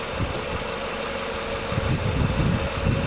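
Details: 2007 Nissan Sylphy (KG11) MR20 engine with P0304, loss of power, worse with AC on, no check engine light; heard at the muffler, rough lumpy idle stumbling about twice a second; cylinder 4 misfire, cause (coil, plug or injector) not yet determined.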